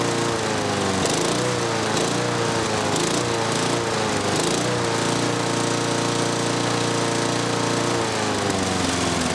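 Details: 6 hp Briggs & Stratton mower on a Murray deck after the governor rod was bent and the spring shortened: it pulls up from low revs to a higher, steady buzzing drone and holds; governed engine speed raised.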